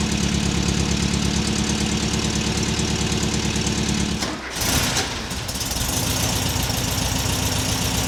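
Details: 1979 US-spec fuel-injected VW Super Beetle, air-cooled, fitted with a new Vintage Speed stainless exhaust replacing the rusted, leaking original factory system; mic clipped to the rear bumper by the muffler. Even steady idle, quick blip rising cleanly and settling back smoothly; normal idle and revving.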